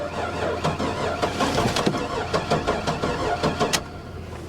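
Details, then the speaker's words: Buick Electra Park Avenue cranks, catches and stumbles with uneven, lumpy firing, not firing on all cylinders and never settling into idle after a hard start; owner suspects blown head gasket, unconfirmed. "she don't sound happy at all nah that doesn't sound good guys [Applause] now she's not firing on all cylinders at all not even close i'm gonna bet blown head gasket on this one"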